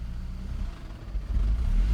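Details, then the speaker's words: 2002 Saab 9-3 SE after head gasket replacement, idling about 900 rpm: on throttle the low rumble sags toward 500 with the lights dimming, then revs late, repeating over and over regardless of pedal travel, and it may stall. Engine bogging, delayed rev. "yeah so it so it's when i give it gas it's bogging down and it's revving like it's a delayed rev yeah so it's bogging and then rev and it repeats that over and over"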